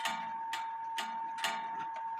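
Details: 1860 Black Forest wooden-movement clock after verge bridge bushings, replaced strike wires, a homemade pendulum and 1500 g weights, no side doors: evenly spaced clean gong strikes about twice a second with no buzz; hammers adjusted with clearance.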